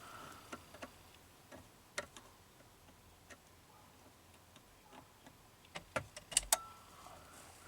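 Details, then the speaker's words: 2006 Ford Freestyle AWD no-crank, key turned to start while test-lighting a fuse with no voltage: faint, irregular light clicks with no cranking at all; cause still unknown. "I hear something clicking there."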